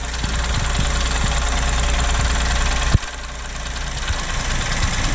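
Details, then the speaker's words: 2023 Chevrolet Onix LT turbo manual, first cold start of the morning, recorded under the open hood: uneven light ticking and a sharp clunk as the brake pedal is pressed. Mechanic called it normal, but the owner suspects a fault; source unknown. "Pessoal, esse barulho é quando o carro tá frio. Aí pisa no freio."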